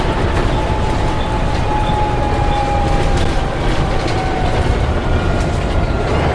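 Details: Alexander ALX400 bus, W665 CWX, driving from Leeds to Stourton: a steady mid-pitched howl rides above heavy road and engine rumble; the source is unidentified.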